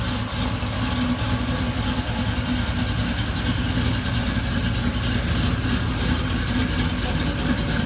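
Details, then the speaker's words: Supercharged Oldsmobile Cutlass V8 just finished after cam swap, re-gasket and new seals: deep choppy idle with a steady lumpy beat from the bigger cam, holding even speed; sounds healthy. "it turned out really good i'm gonna crank it up let y'all hear it run"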